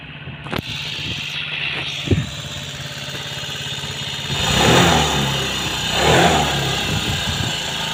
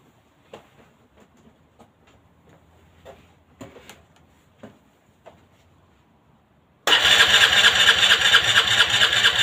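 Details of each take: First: Long time no start; Aprilia Leonardo 125 Second: Aprilia Leonardo 125 scooter after a long time unused: a few quiet clicks, then buzzing rapid starter churn that goes on without catching; prolonged cranking, no start.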